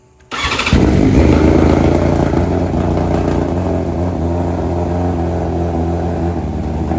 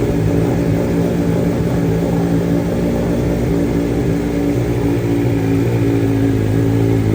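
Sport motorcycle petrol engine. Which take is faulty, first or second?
first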